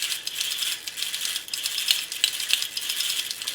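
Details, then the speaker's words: Restored James Bond tin toy car motor gear train after adjusting tight cogs: fast, uneven high-pitched ticking and rattling from small gears; mesh sounds rough and tight, one shaft slightly out and sticking. "This shaft is a little bit out, but I think I'll have to leave it. It's sticking a bit, but I hope this loosens out a bit."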